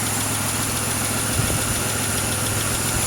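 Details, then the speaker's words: 2006 Pontiac Grand Prix supercharged V6, freshly swapped used engine that had metal debris in its oil pan, first run: steady, even idle with only a faint light tick in the background, no smoke from the oil cap; healthy overall. "I hear a slight tick. But nothing major. It actually sounds really good, so"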